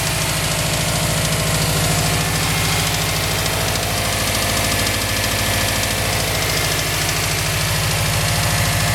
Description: 2005 subaru wrx with ticking knocking sound.